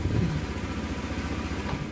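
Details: Honda Vario 110 scooter after repairing shorted, pinched wiring, starter now working: steady, even low thump at idle with no ticking or stumbling. Normal idle after electrical repair.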